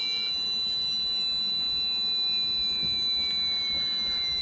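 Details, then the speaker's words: Losi ProMoto MX RC bike after the flywheel is switched off, drag brake engaged: shrill electronic beeping about three to four times a second with no motor, as the remote flashes yellow warning not to operate while powering down. "remote's beeping yellow telling us not to operate it"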